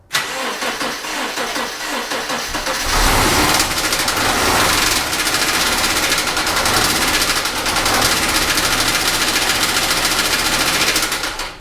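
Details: 2009 Subaru Legacy with EJ25 non-turbo engine, before engine replacement: catches and runs loud and uneven with a rattly clatter over the exhaust; clearly unhealthy, cause not pinned down.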